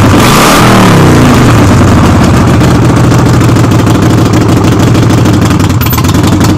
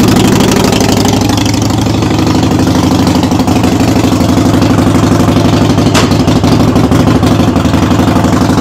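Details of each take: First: Harley-Davidson Sportster on a jack, rear wheel off the ground, in neutral, warming up for an oil change: V-twin revs, then settles into a steady, even lope with a freight-train rattle, no misses or knocks; normal running. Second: Harley-Davidson Sportster V-twin in neutral, rear wheel raised, running during brake switch repair: loose, uneven clatter about three beats a second over lumpy idle, "rattles like a freight train"; source not pinned down.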